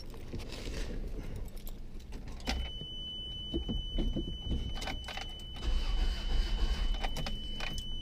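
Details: 1989 Toyota Tercel, 1.5-litre 12-valve carbureted engine, at about 7°C: keys rattle and a dash chime sounds, then the starter churns steadily. The engine turns over but never fires; cranks but no start.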